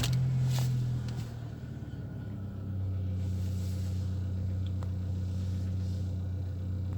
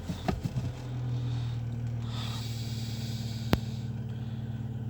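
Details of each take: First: Engine with past error P0507 (high idle), after cleaning hoses and backing off throttle bolt, check light goes out at start: catches and settles into steady, even low hum around 800 rpm, no knocks or hunting; normal idle. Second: Car with P0507 and the check-engine light on, warm after 15 km, idle air control valve and throttle position sensor already replaced without effect: steady, smooth idle held high around 1000–1100 rpm with no misfire; cause still unknown.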